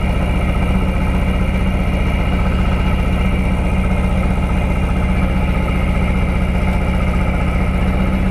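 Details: 1999 Lotus Esprit V8 with ECU reinstalled after swapping coil drivers: low, lumpy idle stumbling about three times a second; two cylinders still get no spark, traced to failed ECU coil outputs.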